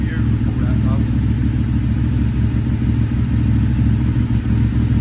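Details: Ducati 848 Evo V-twin, an abandoned non-runner revived after an immobilizer ring fix: deep, lumpy idle with an even off-beat pulse and a faint rev blip. Engine sounds healthy and settled.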